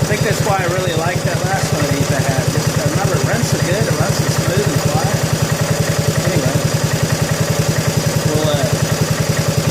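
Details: 1987 John Deere SX75 riding mower, started for a will-it-run revival. It gives an even, rapid firing thump that holds steady with no misses or surging. Normal running.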